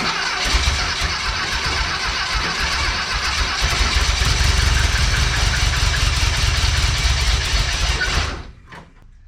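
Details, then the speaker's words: VW Bus engine freshly installed, fuel pump not yet hooked up, fuel poured into carb, timing possibly off: fires and runs rough and uneven for about eight seconds, then dies; owner thinks it lacks fuel when throttle is stabbed. "so it fires um I think it just needs more fuel I think when I'm stabbing the gas and giving it more throttle it doesn't have enough fuel bam it doesn't start"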